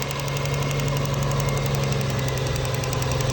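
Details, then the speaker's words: 2001 Lexus ES300 V6 with codes P0300, P0301, P0302: rough pulsing idle with rapid ticking over a low hum; no spark at cylinder 2 from a cracked, dead ignition coil, fixed by replacing the coil. "entonces básicamente el problema que vamos a tener en este automóvil va a ser el problema de la chispa de La número dos"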